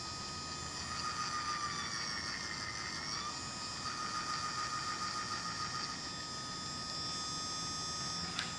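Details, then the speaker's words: 3D-printed gearbox (print 3) on a DIY cat-tracking robot winch, run on a bench supply stepped from 2 to 24 V at a 0.5 A current limit: clean high whine shifting pitch with speed, no clicking or grinding; smooth and quiet, normal gearbox operation. "oh yeah smooth and quiet this seems good so far"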